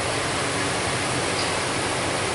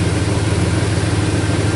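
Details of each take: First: 2001 Dodge Dakota 4.7 V8 after the exhaust leak repair for P0171, quiet smooth raised fast idle with steady hiss and no ticking or puffing; good O2 sensor activity and fuel trims, fix confirmed. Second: 2001 Dodge Dakota 4.7 V8 with P0171 lean code, left bank reading lean, warm idle: fast, even puffing tick riding on the exhaust beat; exhaust manifold broken off, leaking at the manifold.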